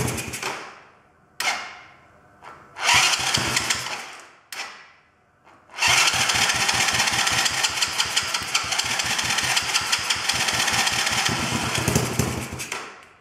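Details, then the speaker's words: Chinese quad bike (black quad) starting with choke off, engine moving on loose mounts, battery going flat; owner suspects idle screw needs adjusting. Short cranking bursts, catches, runs ragged with popping pulses then dies: hard starting, won't idle. "so the battery's gone flat but the good news is that did actually fire out maybe I have to adjust the idle screw is a bit"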